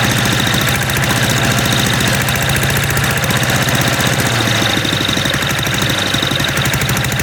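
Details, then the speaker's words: MTD walk-behind lawn vacuum blower, unused about three years, dislikes throttling with choke off: loud, harsh single-cylinder engine with a rapid crackling firing beat that stumbles unevenly; rough running after long storage. "Even though this this thing sounds like it's about to detonate itself."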